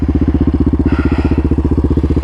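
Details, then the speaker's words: 2024 Yamaha Raptor 700 RSE single-cylinder quad with new exhaust, air intake and ECU tune, warm after a test ride with the fan just cycling off: steady, even thumping idle with no misses or knocks; normal, clean idle. "It just turned off. Yeah, she's idling. She's purring like a kitten."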